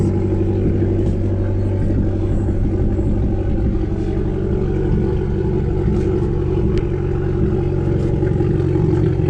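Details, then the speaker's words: 2012 Fiat Abarth at idle: steady low rumble with an uneven, stumbling beat and light clatter, a bad misfire; owner has already changed coil packs, cause not yet confirmed. "alright guys so I was a car starting up it's so I'm pretty good with you know the misfire it's terrible"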